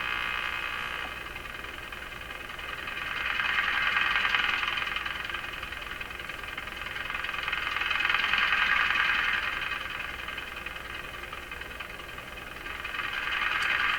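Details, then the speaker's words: Radio receiving IF transformer alignment with a BK 3030 sweep generator while on slightly restricted power (about 105 V). Hiss swells and fades about every four seconds, a rhythmic chuffing; suspected spurious signals from the signal generator. "Okay, so the huffing and chuffing and all that stuff, I think are just kind of spurious signals coming out of my signal generator."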